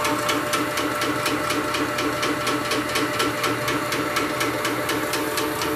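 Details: Shoebox air compressor, resurrected, still running its first-generation 2011 chain drive, before the belt drive upgrade. Steady rapid metallic clatter, about three to four ticks a second, over the motor hum: chain drive clatter.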